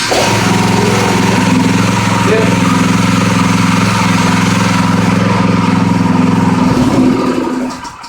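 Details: New Predator 212cc 6.5hp single-cylinder engine, restarted right after a short run, no choke: catches instantly and settles into a steady, even beat with no misses or knocks; a healthy start.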